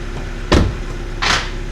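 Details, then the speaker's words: Ford Fiesta, being prepared for its roadworthy inspection: two dull, heavy clunks about a second apart when reversing, none going forward; driver feared the wheel was loose. "Forward. Nothing. Backwards. Something's loose. Hope it's not the wheel."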